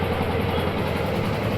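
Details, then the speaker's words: Karizma after full pin-to-pin restoration with new parts: steady, even engine beat with constant low rumble, no knocks, ticks or misses; phone recording adds slight noise, engine sounds perfect in person; normal healthy running. "కొద్దిగా ఫోన్లో విన్నప్పుడు noise ఉంటుంది, డైరెక్ట్గా అయితే ఏం లేదు, చాలా పర్ఫెక్ట్గా ఉంది వినండి"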